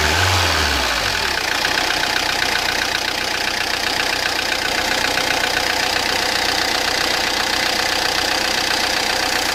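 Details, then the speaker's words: Peugeot Partner 1.9 diesel idling with a sharp, fairly regular metallic ticking about four per second, an annoying noise like loose valves; the mechanic suspects wrong timing (mise au point, chain/belt timing), possibly from piston touching valves; possible valve knock from incorrect timing. "يعني الكرهبة تخدم لكن تعمل صوت كما هذا، صوت اللي هو صوت مزعج، صوت يعني كأنه سباب محلول، كأنه يعني عنده مشكلة يعني في الصوت هذا. والصوت هذا نتيجته كون الميز بوان غلط، كلاج غلط."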